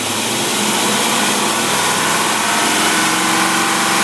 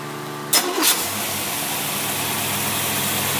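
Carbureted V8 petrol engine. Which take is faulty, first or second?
second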